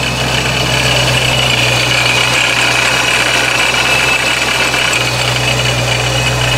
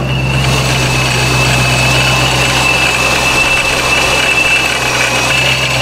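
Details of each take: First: Procharger-supercharged Scat Pack at idle: a loose, gravelly rock-crusher rattle clatters unevenly over a steady drone. It is much reduced with a slight rpm rise but never fully gone. Rattle at idle, source unconfirmed. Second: Procharger-supercharged Scat Pack, warm start, idling at home: even, steady idle with constant high supercharger whine, some rock-crusher sound, improves with slight rpm rise; healthy supercharged idle.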